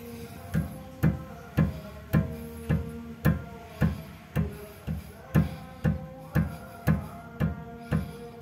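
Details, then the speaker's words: Mitsubishi Xpander front end, wheel rocked by hand on the left and right sides. A sharp clunk about twice a second, each ringing briefly, from inside the steering rack bushing or pinion gear. Steering rack play knock; rack replaced. "itu bunyinya ya dan terdengar bunyinya itu dari dalam sana dari bagian rak setirnya nah seperti ini jadi yang sebelah kiri dan sebelah kanan sama-sama bunyi berarti dapat dipastikan itu yang bermasalah rak setirnya ya"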